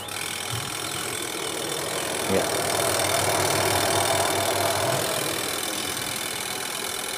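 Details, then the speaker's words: AQUA QW-781 XT twin-tub washing machine spin dryer tested after replacing its spin seal and rat-bitten drain hose: steady, even whirring spin with no scraping, knocking or squeal; normal run. "Oke selesai sobat sekarang kita tes lagi Kemudian ini pengering kita putar"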